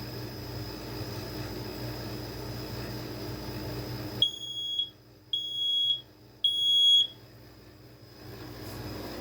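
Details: Basement smoke alarm, probably a rebadged BRK Family Guard with LED indicator, on test; three loud, shrill beeps of about half a second each with short gaps in a quiet room: alarm sounds properly.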